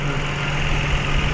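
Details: Mitsubishi Mirage G4 after repairing the injector harness fault: even, steady low hum with no stumbles; idling normally, misfire solved.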